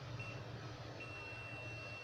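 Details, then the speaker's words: Computer mouse repair, multimeter continuity test on the mouse cable: steady continuous high beep, meaning the wire is intact and OK. "ये wire okay है। इस पे beep आ रही है।"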